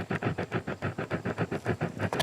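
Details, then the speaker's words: Peavey SP2 speaker woofer, with the cone pushed by hand at low drive. A scratchy rasp comes with each push, about six a second: the voice coil is rubbing. "hear that? That's the problem. It'll be interesting to see how noticeable it is on the other speaker."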